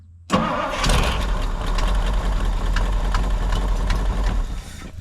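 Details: 1962 Ford Galaxie V8 that sat for decades, with a new fuel system and good battery, cranks briefly and catches at once, settling into a steady, even idle with a fan whirring alongside: a normal start and idle.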